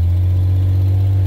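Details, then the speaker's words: 1988 Jeep XJ Cherokee on test drive after a taped exhaust pipe repair; steady, loud deep raspy exhaust drone with no rise in pitch, because the exhaust manifolds are cracked. "what we do know is that the manifolds have are cracked so that it is kind of loud"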